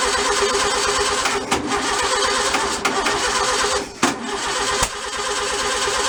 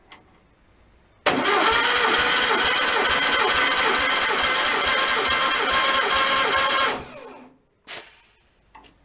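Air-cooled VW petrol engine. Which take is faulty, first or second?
first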